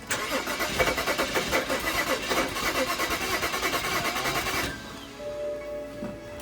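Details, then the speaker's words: BMW 335i E90 N55 after spark plug and coil replacement: the starter turns it over steadily, about three beats a second for nearly five seconds, but it never catches; crank, no start. "it's a better sign that it's a sign of life so guys if anyone has any suggestions of what to do next you're here you can hear how she sounds she's trying to now she's cranking she's trying to pick up"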